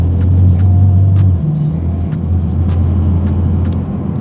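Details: BMW E92 335i after brake booster vacuum line repair, cold weather, test drive: smooth even low engine drone, steady pitch apart from one brief step, no hiss, misfire or knock; running normally.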